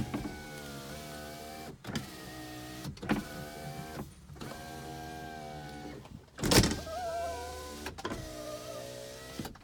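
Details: 2005 Toyota Camry, 3.0 L V6 automatic with 95,218 miles, front-end collision: power windows and mirrors tested with ignition on, repeated smooth motor whirs of a few seconds each at steady pitch with clean stops; all working normally.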